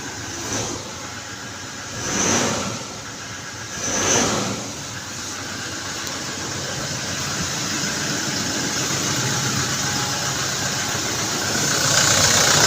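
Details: Toyota Hilux 2GD diesel, push start, after reinstalling brake switch for P0504 no-start: a few short cranking surges, then picks up and holds a steady, even idle with nothing odd. Normal idle.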